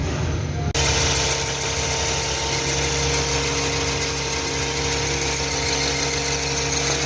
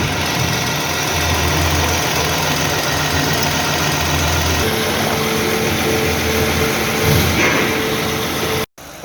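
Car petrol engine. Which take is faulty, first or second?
first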